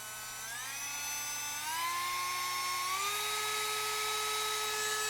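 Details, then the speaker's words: New battery-powered Ottman rotary tool for light duty, compared with an overhauled Dremel and a Sears Canada tool: clean high whine stepping up in pitch as speed is raised, smooth and steady, no rattle; goes a little faster; normal running. "sounds to be about the same speed that this one goes. Oh, this will go a little faster. But still, a battery powered one for light duty stuff."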